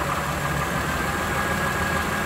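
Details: Warm Lexus RX330 with a 3MZ-FE engine, revved to 1000, 2000 and 3000 rpm: a fast, dull tapping under the idle rumble. The owner wonders about piston knock, but the cause is unconfirmed.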